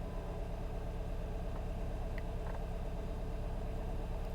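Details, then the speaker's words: 2016 Kia Optima at idle, valves replaced a year earlier: lumpy idle with a steady low thump, a dead misfire on cylinder four, engine shaking while running on three cylinders, scan-tool misfire counter climbing. "so this is a dead Miss it's not missing every once in a while it's a solid misfire"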